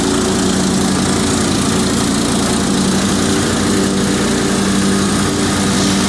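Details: Cub Cadet 2130 garden tractor, revived after a fuel pump replacement, carburetor rebuild, choke and brake-switch wiring repairs; a little cold at about 35°F, in neutral; smooth steady hum, transmission/clutch whine, no stumbling or knocking, no oil burning; normal running.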